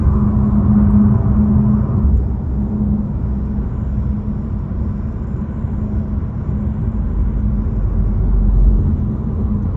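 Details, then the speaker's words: 2024 Nissan Altima cabin: steady low buzz behind the pillar over road rumble, returning as engine reaches about 2000 rpm; interior trim buzz. "Okay, and the rattle stopped. Starts again when the RPMs go up to about 2,000 RPM."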